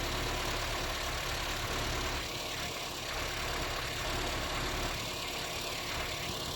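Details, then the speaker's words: 1979 Austin Allegro after electrical and ignition work, gap measured: engine catches and settles into a steady, fairly even idle with a faint rumble underneath; running normally. "bloody hell have i actually fixed something [Music] oh she's running"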